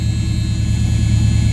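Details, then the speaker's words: 1976 Camaro, rebuilt Holley four-barrel carb with an electric choke, cold: a deep, steady rumble held at a fast idle that only slowly kicks down over 2–3 minutes. Owner suspects the choke idle screw is set too high. "trying to get it to kick down again uh it's slowly going down it usually takes two almost three minutes"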